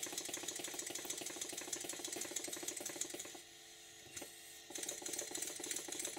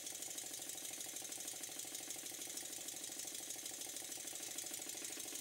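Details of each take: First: Stuart model steam engine after eccentric adjustment for forward and reverse: quick light chuffs about three a second with slightly uneven spacing before stopping; beats not even enough in this direction, valve timing slightly off, further very fine adjustment made. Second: Stuart Models twin-cylinder steam engine, after a very fine adjustment to cure a slight knock from one cylinder: quick, crisp exhaust beats about three a second, evenly spaced and steady; it runs smoothly and in balance.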